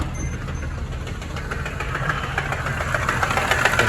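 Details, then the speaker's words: Mercedes ML63 AMG with M156 V8, noise started while driving, no check engine light: steady knock about three or four a second over the idle. "I'm not sure what is going on but we got a no no good noise taking place right now we'll let you guys hear engine"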